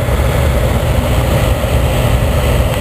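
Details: Oil-fired boiler burner restarted after soot cleaning: steady, even low roar with no pulsing or sputter; firing cleanly.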